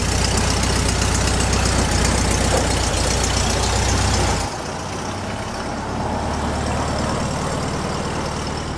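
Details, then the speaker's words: Classic VW Beetle with a freshly rebuilt engine, after the open vacuum line was capped: even, steady low idle pulse with no misses, hunting or hiss, quiet and smooth like a sewing machine. "It runs smooth. It's like a sewing machine. You can't even hear it. Thing is smooth."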